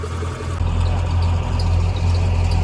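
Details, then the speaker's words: Chevy box truck "Big Blue", just revived after sitting, idle screw turned up a quarter turn: steady raised idle with firm low drone, no misses; idle set high, may run on at shutoff; battery dead, charging heavily. "You gotta be careful the idle because when you shut it off, it's just gonna keep charging. It's like a diesel truck."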